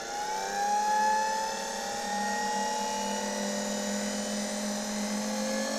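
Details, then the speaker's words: Electrolux V vacuum cleaner, probably 1924, after fitting a donor stator and rotor and new wiring, test-run via autotransformer with earth wire unconnected: smooth motor hum settling into a steady whine with even airflow, no rattles or scraping; runs normally. "Autotransformator jest już zasilany. włączę i zobaczcie odkurzacz rusza"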